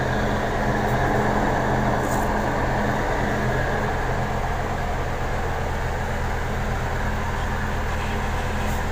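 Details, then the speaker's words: Medium bus AC after replacing a badly growling compressor, plus condenser, both dryers and fan belt: steady drone, even low hum and smooth compressor beat, no growl or grinding; cold output, pressures 30/200; normal running. "jadi untuk penggantian kompresor kondensor dan dryer kita sudah laksanakan Alhamdulillah hasilnya dingin ya"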